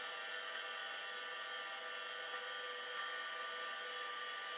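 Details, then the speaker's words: Hard drive: steady high-pitched whir with coarse, gritty edge; owner says it doesn't sound happy but spins; rough spindle noise. "Now, does this sound really happy? No, not really. But it is spinning. I don't know what else it might be doing. It doesn't sound particularly pleased."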